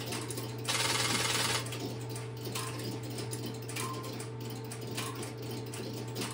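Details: Stromberg Carlson X-Y telephone switching equipment in a private collection, a call placed into it: steady low hum with regular mechanical ticking about four per second as the interrupter starts and runs; normal interrupter operation.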